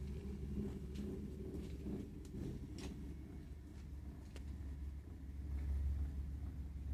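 Low, steady rumble with slight pulsing and no clear rhythm while the boiler fires, pointing to rough combustion at the burner.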